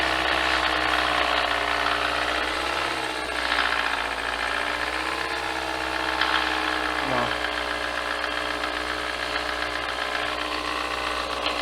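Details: 2017 Hyundai Elantra at idle with camshaft timing codes after CVVT, camshaft and timing chain replacement, metal debris found on oil control valve, oil and filter just changed: light quick ticking about four per second from the top end near timing cover; valvetrain noise, not bottom end.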